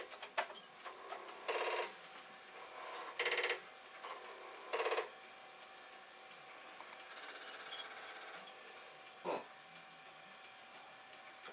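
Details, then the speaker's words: Filthy Commodore 1541 floppy drive during a performance test: short bursts of harsh rapid head chatter a few seconds apart between quiet gaps; it passed despite the noises, owner is dubious and suspects a dirty disk. "I mean it it seems to have but it's it made a lot of funny noises - it's really filthy"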